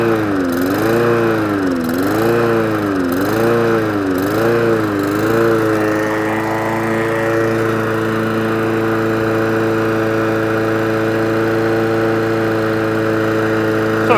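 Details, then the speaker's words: Old Mountfield mower, before service, on choke after carb spray: the engine hunts up and down about once a second, then cuts out and won't restart on choke. Carburetor fault causing surging and stalling. "the drive all works. And the engine cuts out, which means it's a carburetor fault. And it won't restart on choke."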